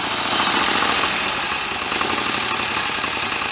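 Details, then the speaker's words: 1930 Royal Enfield 1000cc Model K after crank and main bearing rebuild, kickstarted, now fully functional with lights: busy even mechanical clatter with loose uneven beat, no odd knocks; a faster kickstart swipe would speed the engine up; normal idle. "that's all working nicely what a beautiful old engine listen to that a better fast swipe with a kickstart would speed that engine up"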